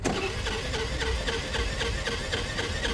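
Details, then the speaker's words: A friend's small Piaggio being cranked on the starter, with a fast, uneven chuff about four times a second; compression pulses seem soft and irregular; the compression sound is in doubt. "I don't know if compression sounds right there I'm not sure there's something about that compression sound I'm unsure about"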